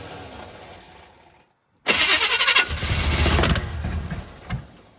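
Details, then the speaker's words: Square body Chevy 350 small block, not run for six months, starter bolt hole repaired with a stud, rewired to firing order 18436572: sharp loud bang as it catches, then rough uneven firing. Backfire while starting. "It's still backfiring."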